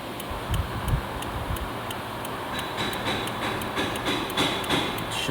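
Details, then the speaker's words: 2010 Toyota RAV4 with turn signals intermittently staying on: steady flasher relay ticking over cabin noise, starting and stopping as the turn signal switch is wiggled; suspected turn signal switch or connector fault, not confirmed. "I don't know if you guys can hear the the flash are activating when I wiggle this that's what I wanted to show today"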